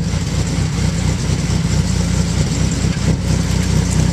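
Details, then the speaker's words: 2001 Chevrolet Camaro 3.8L V6 while driving, with ceramic headers, 3-inch exhaust to cat, 2.5-inch Magnaflow cat-back and ram air intake: deep, uneven exhaust drone with loose, irregular pulses; exhaust noise of unknown source. "and there's also is a uh there's a problem with my exhaust I don't know if you can hear that makes that noise when I'm driving"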